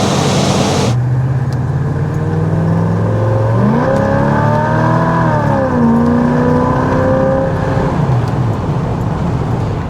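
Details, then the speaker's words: 1986 Chevrolet Monte Carlo SS on the road, fresh engine oil, 55 psi oil pressure: engine note rises and drops cleanly at each shift with no flare or slip; transmission now shifting and locking up properly. "transmission is behaving much better now it's not liking up too early and it's not unlocking too late bloody awesome"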